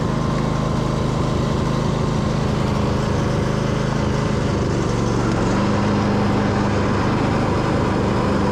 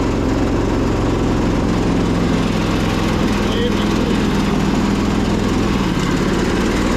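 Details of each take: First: Husqvarna YTH2242 Briggs V-twin after bent push rod repair, mowing with bagger: steady, even drone holding speed, pitch settling slightly as load changes; running smoothly under load. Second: Husqvarna YTH2242 with a Briggs V-twin, started with the blades stuck engaged by a makeshift cable fix; a loud, labouring, lumpy beat as if running on one cylinder, with possibly a dirty carb. The cause was found to be a bent push rod.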